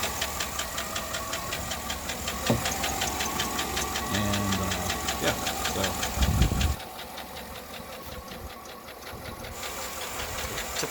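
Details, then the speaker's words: Chevrolet Suburban 5.3L LC9 V8 at about 240 (mileage as stated), idling with hood open before engine replacement; light quick lifter tick, two to three ticks a second over steady V8 rumble, the lifter symptom the owner described. "p the hood real quick just so you can hear some of the symptoms okay so there's that uh lifter test that i talked about"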